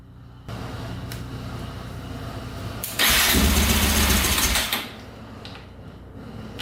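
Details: 2004 Yamaha Raptor 660 quad, gas down the carburetor, choke cable pulled by hand because its lever is broken: steady cranking, then it fires and roars about two seconds before dying back to cranking; owner thinks carbs badly need cleaning.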